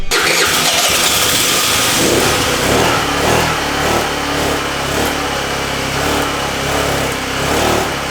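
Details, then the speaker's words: Chinese 49/50 cc scooter, two-stroke, after replacing the starter solenoid, with a rigged fuel line: fires and runs but stumbles and skips unevenly instead of holding a steady idle; misfire from poor carburetor fuel delivery. "it was definitely i had a problem with the charge uh with the quad carburetor and it's not getting good fuel delivery"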